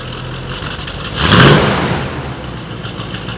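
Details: '89 Chevrolet V8 after new exhaust with 4-in-1 headers, pipes and tips: brief rev as it catches, then a deep, steady, even idle with no misses, knocks or exhaust ticks.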